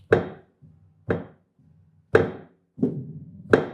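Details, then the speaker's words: Kawai GX-3 grand piano after tuning, sustain pedal snapped quickly down and up: sharp wooden knocks. "If I go very quick down, quick and up with the pedal, there's some wood sound."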